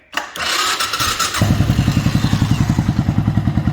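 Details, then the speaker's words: 1997 Suzuki 650 Savage single after a timing chain tensioner mod to cure a ticking, clacking top end: brief crank, then an even thump at about 3.5 beats per second with no top-end clatter; quiet, healthy idle. "all right well that's a huge relief that's sounding much better"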